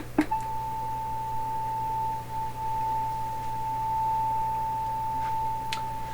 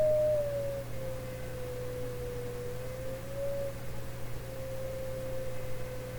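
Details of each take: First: 1920s Westinghouse oval cone loudspeaker matched to a 1928 RCA Victor Model 28 TRF radio, driven by a signal generator with the mic close to the speaker: a clean, steady tone near 880 Hz with no buzz or rattle; normal reproduction. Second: 1920s Westinghouse oval cone loudspeaker for a 1928 RCA Victor Model 28 radio, signal-generator sweep: a wandering tone around 500 to 600 Hz with a faint buzz over a low hum; small buzz, possibly mechanical resonance.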